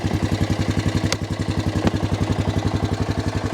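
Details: Cheap used Honda Foreman 450 ES 4x4 ATV, long-stored, first start, stuck in first gear; steady single-cylinder thump about three and a half firings per second, even and unbroken, healthy idle.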